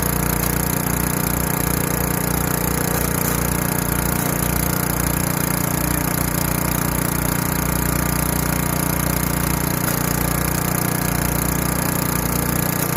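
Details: Craftsman Eager 1 4hp chipper vac 987.799790, auction flip, with a hose of about 10 ft, sucking up wet, gigantic leaves. Steady, even engine drone with a smooth low beat, no knocks or misses; working just fine.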